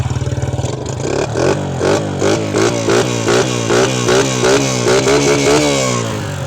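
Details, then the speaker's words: Honda Sonic motorcycle with freshly rebuilt engine (new piston), starts easily; crisp throttle blips with clean pickup and smooth return to idle, no knock or rattle, engine quiet and healthy, normal revving. "เครื่องดีนะครับผมไม่ดังไม่ควรนะเครื่องเงียบๆ"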